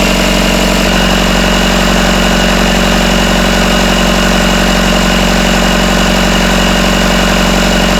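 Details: Rebuilt Isuzu 4BD1T diesel in a Hitachi EX120 excavator, first start, around 1250 rpm, still warming (about 100°): steady even idle, no rattle or knock after loose rear bolts were tightened; smooth and healthy.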